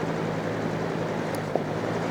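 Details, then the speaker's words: Trash-day fan after repairing a dog-chewed cord, run once it dried out from being sprayed with water, on low: steady low hum with an even airy whoosh, no ticking, scraping or wobble; it runs fine. "high fan works just fine"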